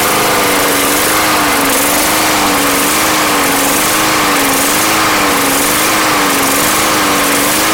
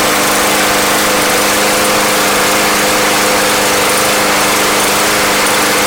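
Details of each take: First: Yard Machines mower bought not running, hot-started after a Seafoam treatment. A high steady drone with a slight hunt about once a second, running fairly evenly and clearing up a lot; the cause of the hunt is unconfirmed. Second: Yard Machines lawn mower, bought not running and treated with Seafoam, hot restart: steady, even drone with constant tones and no misses, surges or knocks; the engine runs smoothly and sounds healthy.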